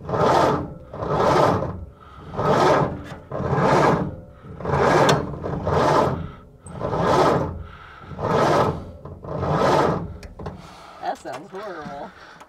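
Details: 1930 Ford Model A Deluxe Coupe, long stored, with a flaky ignition switch. Starter drags the high-compression engine over very slowly, under one heave per second, from a lousy weak battery. A bigger battery was brought in afterward.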